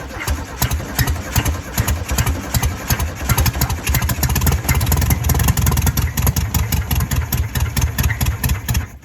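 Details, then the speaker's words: 1968 VW Beetle's first start after sitting 35 years, static-timed: uneven, stumbling beats that never settle, dying after about nine seconds. Owner suspects it is gummed up inside and that the carburetor needs cleaning and the valves resetting. "Okay, well, it did run. That's a bonus. I think it's all gummed up inside."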